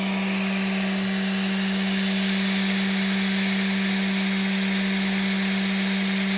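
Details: Big scrapyard brushless DC motor driven through a 30 A drone ESC by a servo controller: clean, steady high-pitched whine, even and smooth with no roughness or rattle; healthy running.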